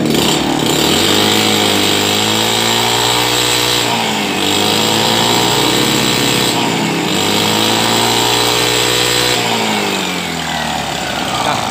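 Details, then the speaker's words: Honda Beat carbureted scooter that holds back on throttle, carburetor suspected (dirt, torn or folded vacuum diaphragm, or sticking slide): blips rise only about halfway then flatten and fall; revs limited, bogging on throttle. "Ya bagi sahabat semua Mungkin ini hanya separuh putaran saja tidak mencapai top speed atau putaran yang sebenarnya"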